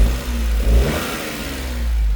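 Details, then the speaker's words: Suzuki with a five-speed and four-high/four-low, motor under the seat: the engine picks up cleanly on a short blip and settles back, smooth and quiet with no knocks or rattles; running well. "So, runs very good, very quiet."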